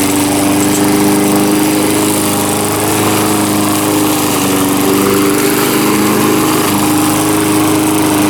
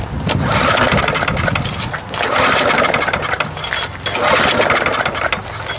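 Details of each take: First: Small single-cylinder mower engine, earlier a no-start, now running, with the muffler loose: steady, even drone with a firm exhaust note, no misses or surging; running normally. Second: Lawn mower no-start, outdoors, before repair: rough rope pulls about every two seconds spin the engine without firing; no spark, lots of gas at the plug.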